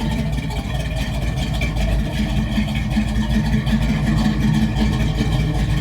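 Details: V8 race truck with dual-chamber mufflers idling after fuel lines and fuel pump wiring were redone: deep steady burble with even lope, no misses or knocks; normal idle.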